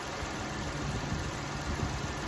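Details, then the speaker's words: 2004 Toyota Sienna 3.3 V6, 23,000 on it, first start after timing belt, water pump, plugs and valve cover gasket job. No coolant and alternator belt left off, so only a brief run. Smooth, even idle with no knocks; sounds really good. "sounds really good I don't have any antifreeze in it so I'm not going to let it run long"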